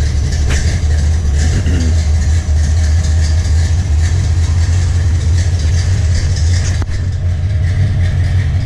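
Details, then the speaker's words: 1984 short-bed truck with a turbo 375 transmission and 2400 stall, idling after sitting: deep, steady low rumble with no knocks or misses; runs pretty good. "runs pretty good"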